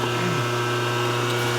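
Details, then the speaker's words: Loud, steady low mains-pitch hum from a 25 hp motor right after switch-on, buzzing hard over shop background; owner thinks it's drawing a lot of amperage, cause unknown. "this one being a 25 horse motor when you turn it on it makes a lot of noise since buzzing like crazy that's got to be sucking a lot of amperage"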